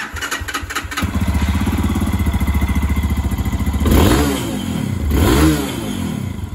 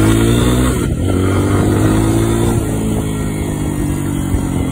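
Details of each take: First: New fuel-injected Lifan KPX 250 enduro in neutral: uneven pulsing idle, then two quick throttle blips that rise sluggishly and sag; hesitation from a misadjusted throttle body position sensor. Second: New fuel-injected Lifan KPX 250 enduro, ridden after readjusting: strong even exhaust drone holding steady under throttle, no stumble or misfire; pulling cleanly.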